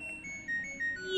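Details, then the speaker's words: LG Smart Inverter washing machine control module, no display: after confirming a stable 5.043 V to the display board, pressing power gives faint thin beeps; the buzzer works but is weak, with power supply area to be repaired. "Buer sudah terdengar semua kecil. Tapi untuk display-nya ini tidak nyala ya, Teman-teman."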